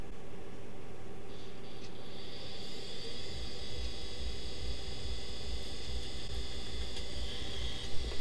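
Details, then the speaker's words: 30-year-old Quantum ProDrive ELS hard drive from a Macintosh IIci, where aged internal rubber has turned to sticky goo: faint hiss and thin whine, then a soft thump repeating about three times a second; heads sticking or touching the platters, so it won't spin up. "the heads were actually like touching the platters and it was making an awful noise so hmm we're still getting stuck"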